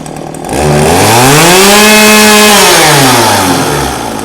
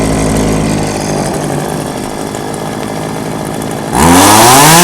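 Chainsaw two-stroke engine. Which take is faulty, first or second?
second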